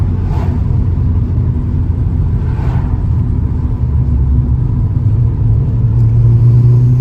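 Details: Turbo Vauxhall Astra GSi (~300 bhp), cold 2°C morning, previously misfiring on boost as if spark blown out, now fitted with correct recapped spark plugs: steady deep drone under load, no stutter or popping; misfire gone.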